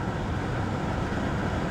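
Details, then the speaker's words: Audi A5 2.0 TFSI on a test drive, with an imbalance at certain revs suspected from the shock absorbers: steady, even engine and road drone with no knocks, ticks or whine. Engine pulls well, no weird noises. "Other than that though, the engine pulls well, sounds good, no weird noises, steering seems pretty"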